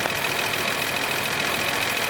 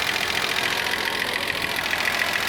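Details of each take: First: 1979 Datsun 280ZX inline-six that sat for years with old gas, fuel starvation fixed, started with 40 psi fuel pressure holding 34: even, steady idle with no misses, seemingly firing on all six. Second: Z car engine that sat for years, idling near operating temperature with fuel pressure at 32–33 psi: fast, light, crisp ticking over the idle; owner thinks the valves are loud and need adjustment; slow fan clutch and coolant leak also noted.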